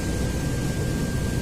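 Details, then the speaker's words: 1987 Mercedes-Benz 560SEL with poor heater performance: steady low hum with faint constant whine from the hard-to-reach auxiliary coolant pump under the coolant lines, fuse good; owner thinks it is running, not certain. "I think I can hear of running but I'm not 100% certain there's a humming noise from"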